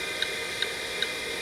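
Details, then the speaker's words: Vintage 5.25-inch full-height hard drive (drive type 47) during a diagnostic format and interleave test: crisp, evenly spaced seek ticks about two and a half per second over a steady hiss as it steps through all cylinders, normal operation. "see it there's going through all cylinders and here it's ticking away"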